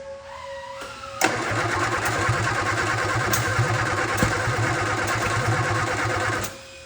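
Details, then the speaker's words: 1967 Austin Healey Sprite after years of neglect, spark plug wires just moved around, starter now disengaging: steady cranking about five seconds with scattered weak coughs, never starts; ignition timing or firing order suspected wrong. "I'd say that's probably not the right timing or the right order firing order"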